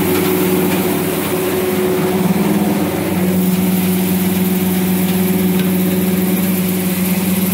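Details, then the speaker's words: Refrigeration condenser fan motors running: steady hum with a rough, gritty whir; all the fans are noisy with worn bearings, and one fan is not running, possibly not being called by the thermostat. "kind of tell it's a little noisy. They're all noisy, actually."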